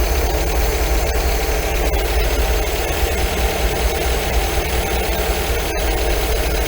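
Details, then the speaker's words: 1980 MGB four-cylinder with twin carburettors, tuned after head gasket replacement, tappets and timing set: steady even idle; lifting the carb piston makes revs rise slightly then drop back gently after backing out the mixture screw, so mixture is correct. "so there we go that one there is right there see you right you can hear it the reds just pick up and then just drop back down again very gently"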